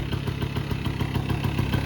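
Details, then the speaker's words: 1984 Honda Aero 50 two-stroke 50cc scooter, first run in 5 years, idle set with the air mixture screw about 1.5 turns out: quick, even pop-pop idle with no hunting, running well. "this thing seems to be running good"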